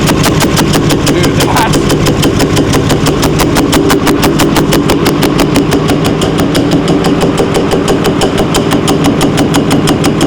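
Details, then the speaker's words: 6.4L Powerstroke diesel, $40k rebuild at 50k miles, idling with oil light on: loud hard metallic banging about three times a second over the idle; valvetrain banging from lost oil pressure and failed lifters. "Whoa. Uh, >> that is scary. Loud. >> He's got an oil pressure problem, too."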